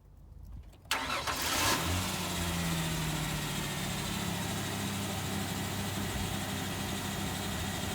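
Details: 2000 Ford Ranger XLT revived after long sitting, with brake pedal restored, before a test drive: quick crank, catches cleanly and settles into a smooth, steady idle with no knocks or misses.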